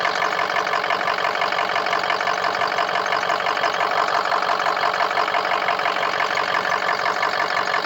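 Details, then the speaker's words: Diesel engine where only two injectors hit on the injector self-test; owner suspects the injector harness rather than the injectors. It starts almost immediately, runs rough, then smooths out to an even clatter near three beats a second as it warms. "Almost started immediately. Almost. And then it's rough and smooths out. Rough and smooths out."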